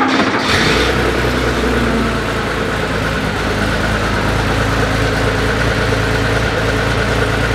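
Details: Air-cooled Porsche 911 flat-six with newly made exhaust, straight-through perforated glass-pack muffler, first start on the hoist: steady, even idle with deep throaty burble, no misses or knocks; healthy running.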